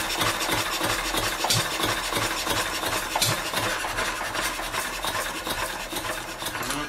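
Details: Old Wolseley single-cylinder stationary engine with its fuel shut off. Uneven chuffing beats stumble and weaken, going hit-and-miss as it sputters to a stall. Fuel starvation, running out of gas.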